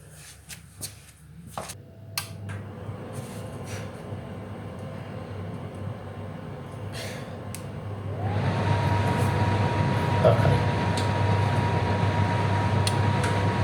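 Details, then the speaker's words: Pellet stove with SIC fail (overheat) alarm, after installing a new fan motor and resetting: the motor hum rises quickly to a steady, clean whine and holds; fan spins up normally. "so you can hear that fan kicked in and going"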